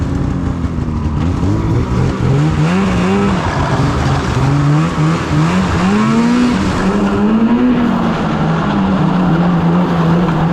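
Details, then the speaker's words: 2016 Polaris Indy 600 SP snowmobile after plugged fuel filter fix and new Ultimax belt, grass dragging on mud with no snow in warm weather: note climbs and holds high under hard load with brief dips, hitting needed rpm; healthy full-throttle pull. "the sled's pulling hard you know that belt's working great you know she's running good we're hitting the RPM we nee"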